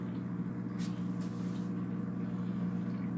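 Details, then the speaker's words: Polar Aurora four-stage canister filter with UV light, new on 150 gallon aquarium, just primed and plugged in: steady low hum with faint buzzing edge, no knocks; running a little noisy, cause unclear. "all right let's plug it and see what happens okay it's running a little noisy but"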